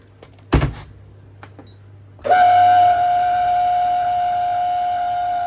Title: Beko DSX83410W condensing tank making awful lot of loud noise